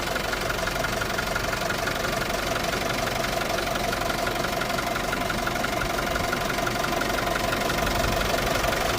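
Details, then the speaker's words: 2021 Isuzu D-Max diesel, 48,000 km, started on the self-starter: steady, even diesel clatter at idle, about three pulses a second, with no misses or odd knocks. Normal diesel idle. "Self లో మనకి start అయినది అవింది బండి విధంగా చాలా బాగుంది ఇబ్బంది ఏమి లేదు"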